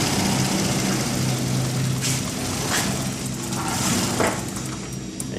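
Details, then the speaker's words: 2001 Isuzu Rodeo 3.2L with the fuel pump fuse pulled while idling to empty the fuel rail before pump replacement: the engine sputters, stumbles and dies as the fuel runs out. "can hear the engine sputter and kick out and so now we've used up the fuel in the fuel rail"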